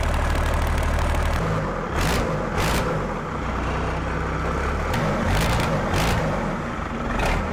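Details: Cummins 6BT diesel swapped into a Jeep Wagoneer, first start after finishing fuel and cooling systems, a fuel return line leak still suspected: low, even clatter settling into a steady idle with no standout knocks; running fine.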